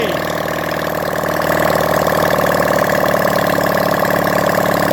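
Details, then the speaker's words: Honda CD175 single after rebuild, timing set, engine refitted: loud open-pipe thump at a fairly even idle with slight rise in revs; normal idle, running again. "she's running guys"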